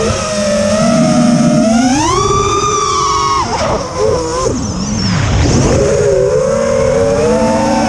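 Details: Quadcopter after switching LittleBee 20A to TBS Bulletproof 25A ESCs (signal cap removed), DShot 600, Betaflight 3.1.0-RC5. Whining motor tones sweep with throttle, with a harsh buzzy edge throughout. It persists despite demag/timing changes and DShot 300; cause unknown.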